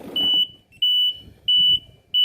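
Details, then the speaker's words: MEBAY generator control module set for 1500 rpm genset, overspeed alarm being tested: repeating high beep about a third of a second on and off, roughly 1.5 per second, with flashing alarm, showing the overspeed alarm works. "Modul baca alarm ya, overspeed. Alarmnya akan berkedip seperti ini."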